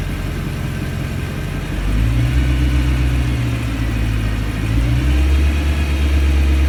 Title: Thumping noise with rev